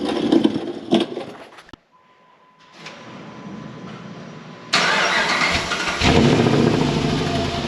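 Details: 2005 Dodge Ram 1500 4x4 Hemi swap with new glasspack replacing the blown muffler, recorded from under the truck near the tailpipe; starts after a pause, settles into a loud deep rumble swelling with throttle, exhaust sounds sound and leak-free.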